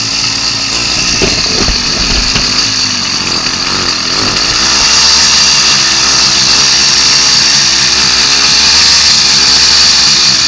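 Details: Two-stroke kit motor on a Columbia motorized bike, started after sitting all winter and now warmed up. Steady, buzzy, high-pitched idle, even and smooth with no knocks or stumbles. Normal two-stroke idle.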